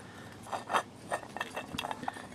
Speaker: I push that onto the bearing properly, you can hear it quietens up. So what's happening is this is grinding against the pump as well.